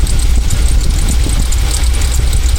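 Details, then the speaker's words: 2000 Jeep Cherokee XJ, carb idle mixture screws set a half turn out from where the engine bogged and sputtered (rough tune): deep, steady even idle rumble, no stumbling; normal idle. "So I'll come a half turn out from that spot. And that's where we'll set it up. And that gets it pretty close."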